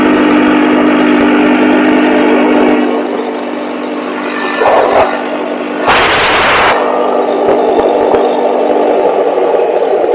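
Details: Cheap buggy's small single during carb tuning revs hard at full throttle, then sags and stumbles before recovering; intermittent cutout, cause unclear; owner will recheck the spark plug and suspects the CDI.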